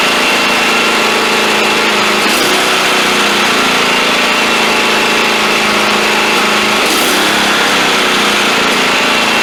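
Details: Cub Cadet XT1 LT42 Enduro Intellipower mower, throttle set to cutting, no throttle or choke linkages, electronically controlled: steady high-pitched engine that dips and recovers twice on its own, over-revving surge of unknown cause.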